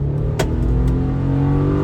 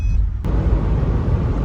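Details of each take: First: 2009 Subaru Forester XT EJ255 turbo with blown turbocharger, test drive under hard acceleration: engine strains and drones, rough and tired; worn bottom-end bearings from turbo metal in oil, oil pressure light flickering afterwards; engine to be rebuilt. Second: Rebuilt EJ255 engine in a Subaru Forester XT, driving after the rebuild. Its bottom-end bearings were damaged after a blown turbo. Steady low rumble, no knocks, pulls normally. It still smokes; the owner believes oil flooded the exhaust and the smoke will clear.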